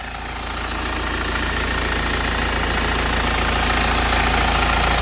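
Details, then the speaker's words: BMW N47 diesel at idle after replacing the worn engine cover mounts. Steady, even diesel clatter with the previous buzzing and rattle from the engine cover gone; pressing the cover no longer changes the sound: normal idle. "I mean it is a diesel engine so you have got to EXP some shake but yeah definitely seems to sound a lot better"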